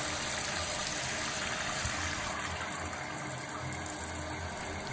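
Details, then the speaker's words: Toilet tank refilling after replacing the warped fill-valve seal that caused whistling: steady water hiss with no whistle or squeal, normal refill. "listen to that sweet sweet refill noise with no whistling mission accomplished"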